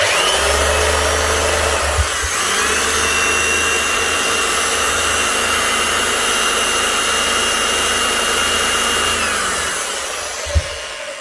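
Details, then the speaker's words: Hitachi H 60 MC hammer motor sparking heavily and down on power: harsh rough whine with crackly hiss, uneven grinding tones as it slows, from a burnt-out armature with imperfections. "It is running, but it's sparking heavily. You can actually hear whenever it slows down, there's imperfections on the armature. You can hear it grinding on something. So, the armature is just about gone in completely burnt out."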